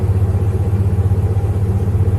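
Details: 1995 Jeep Grand Cherokee 5.2 V8 on a morning test, after throttle body cleaning, Seafoam and idle air control valve work for hard cold starts and 1200 rpm high idle. Low, even rumble holding a steady idle with no hunting or misses.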